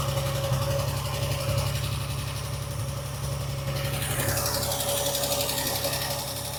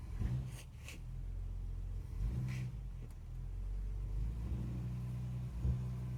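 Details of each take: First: Classic car's engine after a carburettor rebuild, now running better: a light ticking knock at about four per second over a steady idle, coming and going. Top-end knock; the owner suspects a tappet or possibly a big-end bearing. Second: Classic car with a rebuilt carburettor, driven through the gears after the ignition timing was adjusted: steady engine rumble with no knocking or stalling. The owner suspects the earlier knock was pre-ignition or a tappet.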